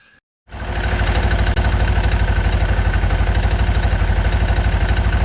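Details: Segway Villain after primary clutch reinstalled following engine seal failure: engine catches and settles into even idle with light rhythmic clutch clatter, normal for these; water pump weep hole dripping antifreeze noted; normal idle with light clutch clatter.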